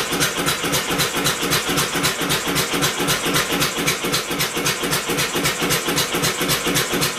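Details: Homemade double-expansion four-cycle engine converted from two-cylinder air compressor, first run with electric motor assist; steady chuffing about four per second, fires but can't sustain itself; suspected flywheel (original pulley) too light to carry over after governor unlatches exhaust valve.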